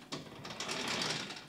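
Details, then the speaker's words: Snow blower jacked up, engine off, wheel spun by hand: fast dry whirring with light ticking as the wheel turns the transmission gearbox, creating the resistance that makes it hard to push; wheel drive still engaged, needs disengaging for transport. "you can hear that wheel as it spins it's turning that transmission that gearbox that's what's creating the resistance on that"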